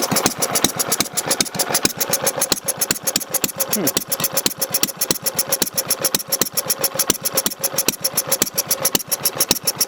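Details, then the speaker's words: Rebuilt Briggs Model Y single-cylinder engine, cold, idling: sharp separate chugs about six a second with slightly uneven spacing. It sounds like missing but isn't, and the vapour is steam, not smoke; expected to run nicer once warm. "i'm happy with it it's got that nice brake chug to it sounds like it's missing but it's"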